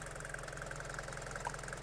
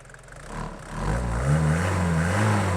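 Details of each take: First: Abandoned Mercedes diesel van after first start, coolant topped up from empty and holding, bonnet open: even diesel clatter at steady idle with no rough patches or misses; purring nicely. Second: Abandoned Mercedes diesel van just revived, bonnet open: diesel revving and settling with open, hollow intake roar because the airbox is no longer attached to anything.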